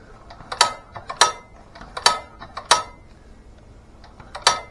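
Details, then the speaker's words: LA/LB engine rebuilt with its head off several times, on a warm November day; sharp clacking, uneven weak pops rather than a full pop. Intake pulls good suction but the exhaust doesn't push out well; the owner plans to pull the head. "that noise that just that it's like a it's not a full Pop I don't know"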